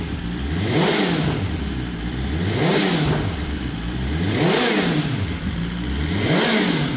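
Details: BMW S1000RR first start after the oil plug came out and oil went everywhere: clean throttle blips every two seconds, rising and falling smoothly, no knock, rattle or misfire; revs freely, healthy.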